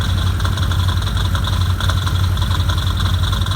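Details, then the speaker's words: 2015 Can-Am Commander idling: loose metallic rattle over low rumble from driver's side near airbox, worse at idle, fading with throttle and higher rpm; cause was all six primary clutch bolts loose. "when I began to notice the noise sounded like a rattling sound but I wasn't sure if it might be valid or something internal I noticed that the noise was much worse at idle than it was if a little bit of throttle was applied and at higher rpms"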